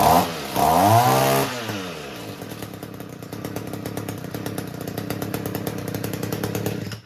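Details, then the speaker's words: Couple-year-old Echo two-stroke trimmer, which had stalled and run poorly for over a year, after its carburetor was cleaned and repaired and its muffler cleaned: a quick throttle blip, then a steady, even buzz with no stumbling or hunting; running normally. "And again, the thing runs fantastic."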